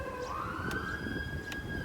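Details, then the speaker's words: 2005 Porsche Cayenne 955 AC recirculation flap servo motor, new replacement part (old one defective, didn't move; P code 1596): thin steady whirring that climbs slightly then runs evenly as servo drives flap when recirculation button toggled; normal operation. "So I'm turning on the recirculation flap. Yeah, it works."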